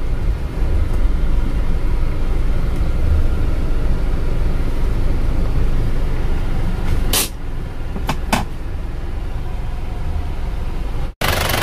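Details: Isuzu Panther diesel after engine overhaul for compression blow-by, where aftermarket liners were replaced with used original ones: even low rumble at hot idle with stable temperature, no knocking or misses, brief handling clicks; engine healthy, no smoke.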